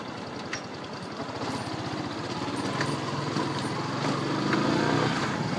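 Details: Yamaha R15 V2 running, light regular ticking about three or four per second over the exhaust; "tak tak tick tick" clicking from the chain or sprocket, cause unknown.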